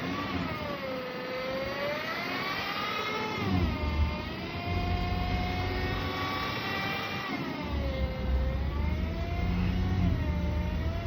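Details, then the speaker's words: Chrysler/Dodge automatic transmission, rewarmed before the noise appeared: high, layered whine sweeping with speed; fluid level checked good, no dipstick; possible causes include a clogged filter. "That whining noise is the transmission. Um, like I said before, it can be um a multitude of things."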